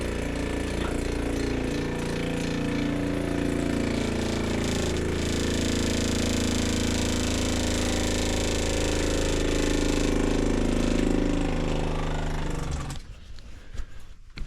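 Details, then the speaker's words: RV fresh-water pump, tank three-quarters full, pump often sucks air: steady buzzing motor drone that firms up as it draws water, then cuts off; this time it primes and builds pressure normally. "I'm going to turn my pump on you can hear the pump engaging right now you can hear it sucking up water and it's actually going to build pressure right now"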